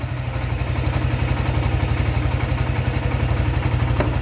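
Even low thumping idle, about four pulses a second, steady and free of knocks or clatter; the engine sounds healthy.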